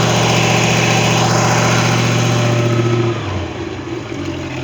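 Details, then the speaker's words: Long-sitting Tahoe boat engine after a no-start traced to the breaker and a new impeller fitted: strong, even drone dropping back to a lower steady idle after about three seconds; normal running. "As you can tell, it's been sitting. And we actually gave it a wash job just because we had to get in it because it was covered with that much dirt. But it starts and runs and seems to be okay."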